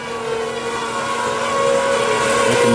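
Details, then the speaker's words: Newly replaced spa gas heater: steady mechanical whirr with fixed tones, like a fan or moving part, heard only when the gas heater is on; abnormal whirring noise of unknown cause. "weird sound i have no idea what it is sounds like a fan or something or some moving part only happens when the gas heater's on again this was just replaced"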